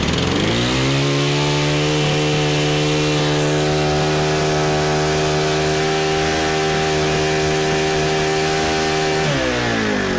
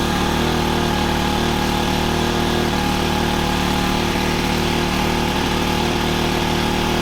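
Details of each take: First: Honda FG110 tiller, GX25 four-stroke, owner-fitted Amazon carb, ran only on choke: sags to a low uneven idle and bogs before picking up; suspected untuned aftermarket carburetor, excess oil soaking filter. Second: Honda FG110 with GX25 engine, new carburetor, previously ran only on half choke, idle set high to warm up before tuning; steady even fast putter about four pulses a second, no misses or surging; normal fast idle.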